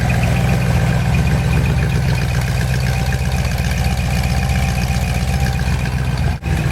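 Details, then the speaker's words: Ford 390 FE big block on a test stand with reconditioned bottom end, 4V heads on a 2V manifold, not yet run in: smooth, even V8 idle, steady low beat about four pulses a second, no knocks; some alternator or water pump noise. "so the alterator or the water pump making that noise it runs absolutely beautifully"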